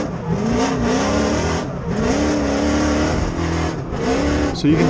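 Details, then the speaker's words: 1992 Nissan 240SX drift car with a 6.0 LS V8 swap and 4-speed dog box at full throttle on track: revs climb then sag and bog as coil packs misfire, caused by a snapped alternator belt draining the battery. "you can definitely hear that weird bogging noise. I was completely floored at this point. And that turned out to be the alternator belt snapping and the battery kind of draining where some of the coil packs weren't firing right, and it was just a heck of a mess."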